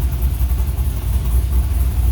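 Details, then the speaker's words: 1980 Chevy K10 LS swap, Summit 150153 crate motor, LS6 intake, Holley Terminator X, 1302 LS1 headers, Flowmaster FlowFX mufflers, temporarily wired electric fans running: deep steady V8 idle burble, even firing, no misses; normal idle. "but yeah listen to that summit crate motor man"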